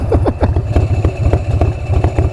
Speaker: Oh, listen to that. Love it. Listen to the sound of the open primary too.